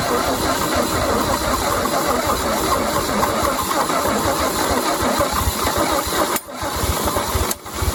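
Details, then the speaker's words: 1950 Chevy 3100 truck inline-6, sitting engine, spark confirmed and starting fluid sprayed in: long steady churning crank with brief drops, nearly fires but never catches; the starter may have been cooked. "We might have just cooked the starter because I can't get it to engage at all. She pert near just about fired."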